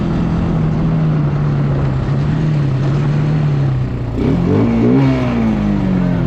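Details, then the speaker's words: Bayou 220 ATV, sat for 8 years, on a test ride with a helmet camera; the single pulls through a steady drone, revs climbing cleanly around four seconds with no stumble. All gears work, no bogging. Normal running under load. "all right guys ran pretty good um all the gears work um no bogging"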